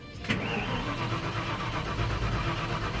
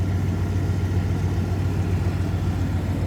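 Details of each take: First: 1993 Ford F-150, warm, just started earlier: brief crank then uneven rumble, reluctant to start again; starts rough-idling, owner expects it to smooth out; has a vacuum leak. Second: 1993 Ford F-150 V8, now warm: idle smooths into a steady, even rumble and check engine light goes out; owner suspects a vacuum leak present only when cold; normal warm idle.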